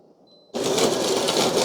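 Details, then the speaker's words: De'Longhi TrueBrew CAM51025MB coffee maker grinding beans for a bold espresso: sudden steady gritty whirring, constant and even, grinder working normally. "grinding the coffee now I have noticed when you do an espresso the bruise sounds different you kind of hear the same sounds with the machine popping and grinding"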